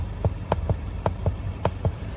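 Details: 2020 Mercedes-Benz GLC300 4MATIC SUV, driver-side floor pressed while driving: sharp light clicks in uneven pairs, about three per second, over low cabin hum; driver-side floor clicking.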